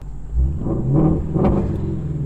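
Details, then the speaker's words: 2016 Shelby GT350 Voodoo V8 warmed up and driven hard to 5,000 rpm after a valve cover gasket replacement for an oil leak: deep, smooth rumble with no ticks or knocks; sounds aggressive but healthy, leak seemingly fixed. "i mean i'm at 5 000 rpms and it sounds like the motor's going to blow up in a voodoo but it ain't even like close like you're just getting started sounds good"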